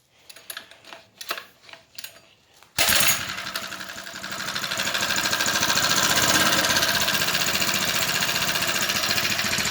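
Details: 79cc+ four-stroke motorized bicycle, first start after fitting a homemade stainless steel exhaust: handling clatter, then fires and settles into a quick, even, crisp putter with no misses; normal idle.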